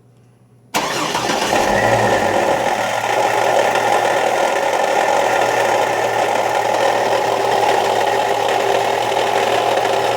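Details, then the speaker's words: 2003 Chevy Trailblazer engine starts and idles with a persistent rattling knock, still present after the fan clutch was replaced on a shop's diagnosis; owner feels it comes from a lower area, cause unknown. "all right okay this is a 2003 Chevy Trailblazer uh got a a noise in here sound like a rattling or knocking noise"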